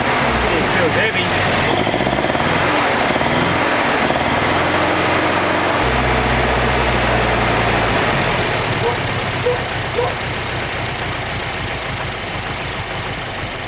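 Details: 1981 Toyota Hilux RN46, 18R-GU twin-carb engine, first start after sitting at least three years, needing only carb cleaner and a few cranks: catches and settles to a steady even idle with a regular low beat; compression good.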